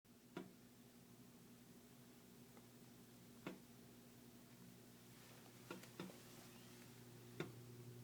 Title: Phantom Clicking Noise. - Pipe Expansion & Contraction